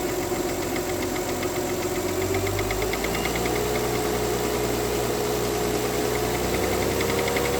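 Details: Mercedes W211 2009 3.5 engine: a light, fairly quick ticking knock over the idle, about three to four taps a second; engine knock, cause being investigated.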